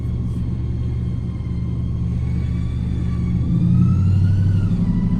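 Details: 2000 GMC Sierra 5.3 V8 Vortec: revs climb with a rising whine over a low rumble, then flare without drive taking up; transmission popped, now whining and slipping, most gears gone.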